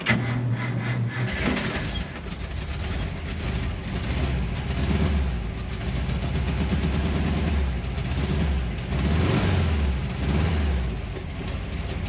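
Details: 1968 camper bus engine after stuck valve freed and new pushrod fitted: low, uneven idle that hunts and stumbles; rough running, owner suspects old scraped points or too much fuel from the carburetor.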